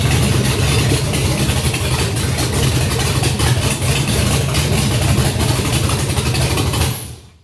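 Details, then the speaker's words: Junkyard GM LS 5.3 V8 on an engine stand at first fire, with no coolant in it, run briefly after showing about 20 psi oil pressure: deep, even idle with a steady beat, no knocks or misses, then it shuts off cleanly; healthy runner. "Nice. Sounds good. Let's go ahead. Let's do a few more seconds. Just because. Sounds good. And we have a runner."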